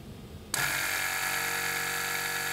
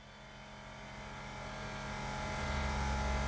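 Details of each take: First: 2017 BMW 5 Series F11, rear sagging, both rear air springs already replaced: compressor commanded via scan tool gives steady high electric hum and whirring pump but car doesn't rise; compressor vent valve stuck open. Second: 2017 BMW 5 Series F11 with new air suspension compressor fitted to fix rear sag: steady electric buzz with low hum builds smoothly as it raises the car; healthy, should reach at least 10 bar.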